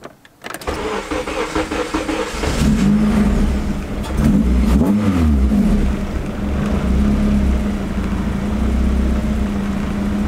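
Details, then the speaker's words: Honda Integra with K-series engine on aftermarket ECU (K tuner), idle air control disabled, throttle stop adjusted: cold start cranks and catches, idle hunts and sags, throttle blip needed to prevent stalling, then holds steady. "seems to be holding steady I just it was going to stall like you saw outside had to blip the throttle but seems to be good now"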